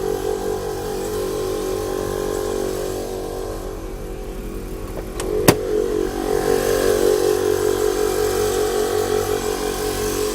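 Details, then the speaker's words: 1998 Chevrolet Blazer air-ride compressor, newly wired and running off the batteries: steady, even electric hum with a smooth pulsing beat as it fills the tank, about two minutes expected; normal run. "There we go. Shouldn't take it. That should take approximately 2 minutes to fill that tank."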